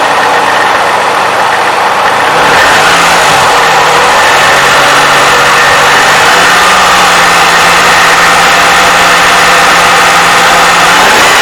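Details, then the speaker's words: 2007 Toyota 3.5L with 170,000 miles, cold start before adding graphene oil additive: light quick clacking about four per second over belt whine, near the valve timing advance mechanism. Owner says it's the known Toyota clack; it went away with a little throttle. "Okay, we're gonna start the test, which is a cold start, and see if we can pick up that clacking noise. You hear a little bit of clacking noise coming right from here. It's not belt noise, but you can hear it."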